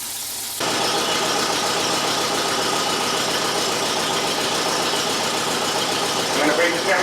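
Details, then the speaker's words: Car that mostly sits: it starts and idles with a light, quick tapping from a hydraulic lifter, recorded before Rislone engine treatment is poured in while running. "because the car sits now it has the Bell lifter noise you know tapping sound from a lifter"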